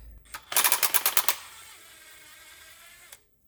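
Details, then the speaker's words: Old idler pulley removed during timing belt and water pump job on a 2001 Subaru Outback 2.5 L SOHC automatic, spun by hand; rough, uneven clicking clatter and jerky, sporadic spin-down, worn bearing nearly given out. "Yeah, so this one's also one that would have basically given out. Kind of stops, but it's not stopping smoothly, it's sporadically."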